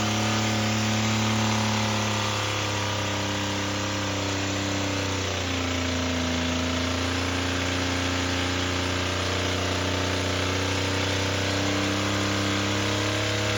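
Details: Toyota pickup engine, damaged by water ingestion, held at full throttle until destroyed: steady revs with a harsh, uneven hammering under a shifting drone. A bad rod knock, with the rods on their way out.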